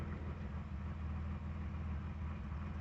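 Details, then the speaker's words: 1985 BMW 633 CSi, started after sitting a long time: low, even rumble holding a steady note with no knocks, ticks or misses; running good, though the owner notes funny noises while driving, thinks it needs running in. "Anyhow, I've got it's running good. Sounds nice. Makes some funny noises when I'm driving it, but I think it just needs to run in a bit."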